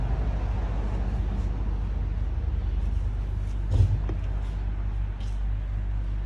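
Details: Volvo FH D12 380 truck diesel idling with a deep, uneven rumble and a faint knock, traced to a failed bushing in the air compressor.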